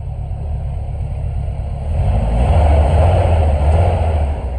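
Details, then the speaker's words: 1996 Chevy S10 rebuilt engine (milled head, ported intake) on first start during break-in, burning off residue: picks up smoothly under light revs and settles back, no knocks or ticks; normal. "I'm gonna let it go through its break-in process."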